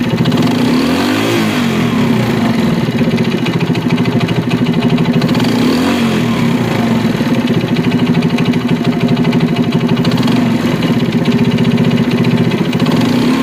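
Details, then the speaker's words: China CD70 motorcycle single-cylinder engine idling and revving with rough, rapid metallic knocking tracking engine speed; the connecting-rod big-end is worn, and replacing the connecting rod is the fix. "लेकिन इसका जो आवाज आ रहा है वह begin खराब होने की वजह से यह आवाज आ रहा है इसका जो बिगिन है वह खराब है इसकी कनेक्ट राड चेंज होगी तब जाके इसका आवाज सेट होगा"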